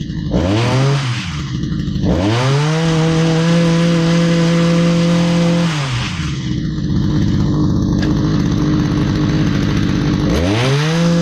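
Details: Stihl HS45 hedge trimmer that had sat for a long time and wouldn't start after a prior tune-up, now running: the two-stroke snaps cleanly to a steady high rev and drops back smoothly with no bogging or surging.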